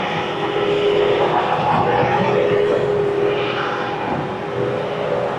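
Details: Bobcat S250 skid steer after hydraulic cylinder rebuild, lines reconnected, first cycling: diesel runs steady while a hydraulic whine rises and falls as the cylinder strokes back and forth; pump and cylinder working normally.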